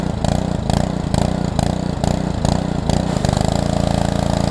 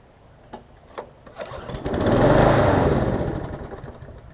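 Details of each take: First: Small engine on a pressure washer, part of a used equipment lot, water hooked up and purged: a few rapid pulling chuffs, then it catches and settles into a steady, even drone with no misses; normal running. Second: Push mower from a $75 equipment lot, started after a few pulls: it swells and sags and won't hold a steady governed speed, sounding lean and fuel-starved; owner suspects a swollen needle and seat or a restricted fuel line; possible fix is a carb swap.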